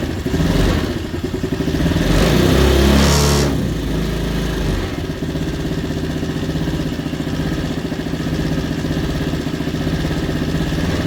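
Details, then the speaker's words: Trailmaster 50cc scooter with GY6 engine, headlight bulb unplugged (low beam shorted internally), battery at 12.33 V: brief rev then steady even idle putter, charging normally, electric choke seating and raising idle; healthy idle. "So we're charging at idle like we should be. That's the electric choke kind of getting seated there, making the idle go up."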